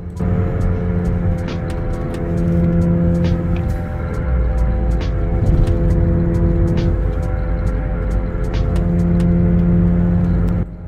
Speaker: in this example you'll notice that when i turn the wheel to the right the noise gets really loud and when i turn the wheel to the left the noise gets much quieter the reason for this is that when you turn to the right you are loading the left front wheel which causes that bearing to be noisy